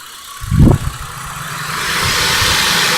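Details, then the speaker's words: Chrysler Concorde 2.7L after full timing chain, guides, tensioner, cam gears and water pump replacement, new plugs: short crank, quick catch, then steady smooth idle, engine barely moves, no knocks, ticks or misses; normal idle. "Wow that engine doesn't even move at all because smooth that is I love it"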